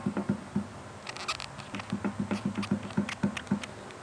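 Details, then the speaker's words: Peugeot 206/207 SW rear axle: quick, dull knocks about four a second as the trailing arm is levered, showing play; its four bushings and nylon end bushings are to be replaced. "Ó escuta o barulho bom então esse aqui ele tá com uma folga e"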